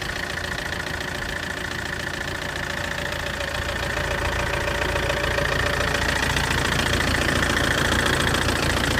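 Steady, quick ticking rides over the idle at about three or four clicks a second and gets louder; something is clearly clicking in the engine.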